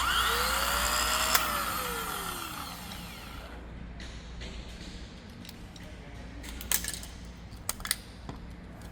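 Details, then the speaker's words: Old replacement starter dated 030903, bench-spun off a plane's engine; high whine that rises then coasts down with a gravelly gear rasp, like going through gravel; starter gear whine. "This thing sounds like it's in a going through some gravel."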